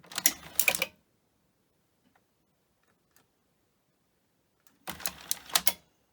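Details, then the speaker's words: Grundig 2x4 Super V2000 video recorder, power cycled at the wall: short bursts of rapid clicking and clattering, silence, then the same again; the tape-loading mechanism keeps cycling without loading the tape. "So you load it up, and it won't load up. Okay, now it's going to do that again."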